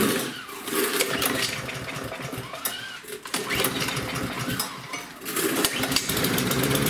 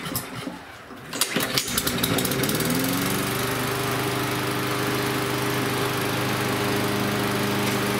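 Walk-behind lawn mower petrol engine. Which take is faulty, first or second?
first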